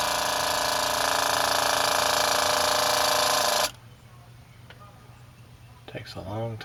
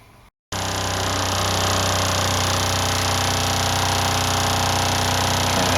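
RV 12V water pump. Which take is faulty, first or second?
second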